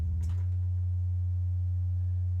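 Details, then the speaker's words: Misbehaving synth's sine oscillator with the triple delay unplugged: a steady, pure low tone around 90 Hz with no buzz or grit. Distortion had come and gone as modules were plugged in and out; output now clean. "yeah seems to be clean again and then the triple delay and again clean again"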